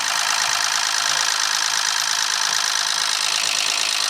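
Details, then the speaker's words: Ford C-Max at 74,000 miles, driven 200 miles with oil light on; harsh rattly idle with regular knock about three times a second over metallic clatter, bearings damaged from oil starvation, turbo also destroyed. Engine knock. "That sounds absolutely horrendous. Now, it has taken the turbo out with it as well."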